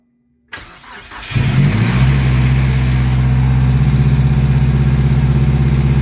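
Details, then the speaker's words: Big-turbo Mazdaspeed3, first start after the build, idling in a garage: brief crank, then a steady even idle with a loud low exhaust rumble; onlookers wonder about an exhaust leak; clean start. "dude it's running [Applause] and it's running good too"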